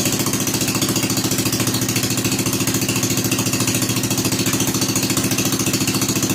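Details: Rebuilt Kohler K241 10 hp single-cylinder installed in a John Deere 210 garden tractor, no muffler, restarted after priming carburetor: fast, even, sharp popping exhaust beats, no skips or knocks; normal running.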